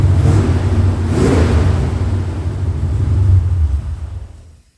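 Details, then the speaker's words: 1977 Mustang II true cold start after sitting a while: deep rumbling idle with uneven loping pulses swelling and fading with throttle; runs okay cold but smokes, pops and bangs once warm; compression and vacuum-leak checks planned. "want well as you can see it does run um and it's not bad ice cold but uh soon as it gets warmed up it starts smoking and popping and banging and farting and doing all kinds of funny things"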